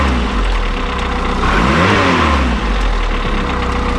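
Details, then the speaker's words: Classic Mini build engine, still cold, starts and drives: engine revs with a faint, uneven light tapping that usually appears when warmer. The owner thinks it may come from the bottom end. Engine tapping noise, cause not confirmed. "it usually does this noise when it's a bit warmer let's see if you can hear it can you hear that tapping noise"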